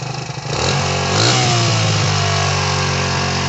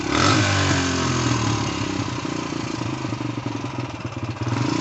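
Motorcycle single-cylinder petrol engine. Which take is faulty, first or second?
first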